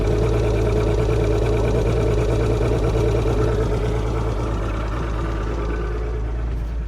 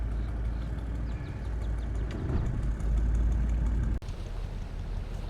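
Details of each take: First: Mercury 150 outboard on a Wellcraft Sportsman 180, tested at the house before launching: fires right up to a steady low idle with an even beat, no misses or knocks. Normal idle; new plugs and fuel filter were still planned. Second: Mercury 150 outboard on a Wellcraft Sportsman 180, restarted after it developed a miss and died following a 39 mph run: low, uneven, slightly lumpy idle at about three pulses a second. Likely an intermittent misfire.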